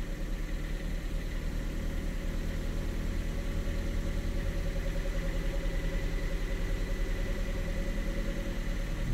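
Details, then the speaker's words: Ford Fiesta with cold-idle surging, next cold start after throttle position sensor adjustment, coolant cold; revs a bit higher but steady, no hunting or surging, TPS1 good and TPS2 still slightly wobbly; normal idle. "so let's just start it up and see what happens revving a bit higher but it's not surging"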